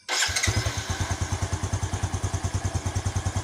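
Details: Yamaha Jupiter Z1 motorcycle after its regulator was converted to a Satria FU regulator, battery connected: electric start catches at once and settles into a steady, even single-cylinder idle; normal start and run.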